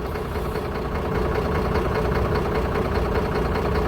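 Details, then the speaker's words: Mercedes truck diesel at idle with a heavy, uneven stumbling beat about every half second as one cylinder drops out; struggles to rev up. Live fault code for the cylinder 4 unit pump; misfire at idle from a faulty unit pump. "So, if I rev it up, you can hear it really struggles to rev up."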